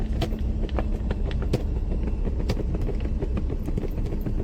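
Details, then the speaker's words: Maruti Alto 800 driven on rough off-road surface: irregular plastic clatter and ticking following bumps, not engine speed, from loose dashboard screws; wheel bearing also worn. "അതുകൊണ്ടാണ് ഈസ്റ്ററയും sound വരുന്നത് അത് മാത്രമല്ല ഡാഷ്ബോർഡും full ആയിട്ട് sound ഉണ്ട് കേട്ടോ"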